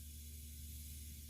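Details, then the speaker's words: 1966 Mustang, engine off, leak-down tester on cylinder 3 (slightly low compression): faint steady airy hiss heard from crankcase, carburetor and exhaust; exhaust valve leakage, before head rebuild. "I have the leak down tester hooked up to the number three cylinder, which is the other one that was slightly down on compression. And right now, there is a hissing sound coming from the crank case. the carburetor and the exhaust."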